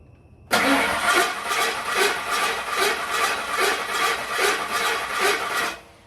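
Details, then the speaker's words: 10th-generation Ford F150, first crank after engine replacement: about seven rhythmic cranking beats over five seconds with a metallic ring; abnormal noise seems to come not from the engine but possibly the flex plate or starter, unconfirmed. "Sound like nothing up here nowhere on the front of the motor or anything. It doesn't sound like the motor itself. That sounds like a flex plate or starter."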